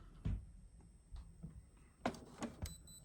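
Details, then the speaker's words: Epson ET-8550 EcoTank printer, bought about a year ago, suddenly not picking up paper though the tray is full: irregular clunks and short grinding bursts as it repeatedly tries and fails to feed. "this morning I heard a notice something wasn't right so as you can tell it's trying to pick up paper and it's not picking it up"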